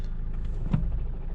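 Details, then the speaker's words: High-mileage Toyota Verso diesel at idle; rattle disappears when the clutch is pressed, leaving a steady low idle, placing the noise in the flywheel: flywheel rattle gone with clutch pressed. "flywheel rattle that disappears whenever i put the clutch in clutch side clutch in silence"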